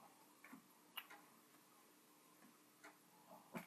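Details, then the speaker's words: Commodore 1541 disk drive running a torture test: faint irregular ticks and light clicks as the head steps back and forth; drive came up fine, head stepping normally. "then we will see so you can hear the head - doing its thing"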